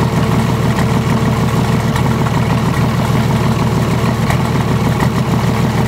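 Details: VM/BMW D190 marine diesel, first start after rebuild following a broken valve, with liner, piston and head from a VM 2.4 L: heavy, lumpy idle pulsing about three times a second; air drawn in past a leaking seal at the front of the injection pump, air visible in the return hose.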